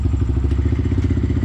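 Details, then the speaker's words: Kawasaki KLX110 with BBR intake, just after cold start: quick steady single-cylinder putter, slightly lumpy but even; normal idle while still a little cold. "so you can hear still a little cold but so definitely a ripper for sure"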